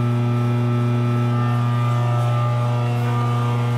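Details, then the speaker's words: Frymaster FMH222 three-phase split-pot electric fryer, probes and heating elements tested good, temperature rising quickly: steady low electrical hum at one even pitch with no clicks or buzzing, converter under normal heating load. "the heating elements are are good and there's nothing wrong with them as you can see it starts to hit"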